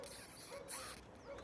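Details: VAZ Classic (Lada) front suspension squeak while driving and turning the steering wheel: short, rubbing, creaky mid-pitched squeaks; culprit was the worn lower ball joint.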